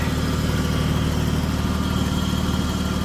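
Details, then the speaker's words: Ford F250 Super Duty in cold weather, timing advanced to 10 degrees plus a timing-advance chip; owner suspects a vacuum leak. Loud but even low rumble at about 900 rpm idle with no misses. Normal idle. "but it's running perfect for right now. It's literally like 900 RPMs, I believe."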